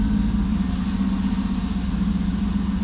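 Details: LM7 V8 swapped into a Volvo 240 wagon (MegaSquirt 2, Borg Warner 4-speed, Ford 8.8 LSD), first time out of the shop under its own power after a 2.5-year build, header dented for steering-shaft clearance: deep, even V8 idle burble, steady rhythm, no knocks or misses; healthy, smooth-running.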